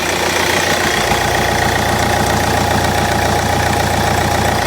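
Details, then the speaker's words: Kia Ceed 2013 1.6 CRDi diesel after replacing the alternator freewheel clutch pulley, which had caused a grinding noise: steady, even diesel clatter with no grinding or squeal from the belt side. Charging normally, normal idle. "Okay. No weird noises and no problems. It's charging normally and it sounds normal again."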